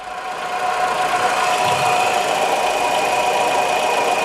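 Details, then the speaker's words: Used Japanese car on a budget purchase inspection, running with black oil and a suspected bad alternator bearing rattle: light, quick ticking over a steady idle that follows engine speed; a noisy hydraulic lifter. "definitely that's a hydraulic lifter sound"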